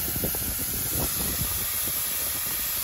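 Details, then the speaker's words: 1979 Chevy K10 pickup, abandoned 20+ years with radiator found empty, overheated after a four-mile drive; constant loud hiss of steam with faint engine rumble, leak source unseen. Owner fears the block cracked from water left in it. "well clearly there's a lot of steam I can't tell what's going on or what's leaking at this point there's just steam"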